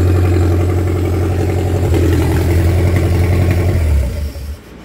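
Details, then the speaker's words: MerCruiser 3.0L (181 cid) marine engine, unserviced boat with burnt head gasket and oil loss: uneven lumpy running, about four pulses a second, then shuts down; rough running, lean carburetor or slightly off ignition timing suspected. "I'm thinking that carburetor is running a little bit lean. This boat has had no service."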